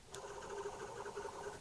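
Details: Trabant crankshaft assembly removed during an engine teardown: one bearing, spun by hand, gives a smooth, even whir with no grinding, a healthy bearing, unlike the other rough bearings.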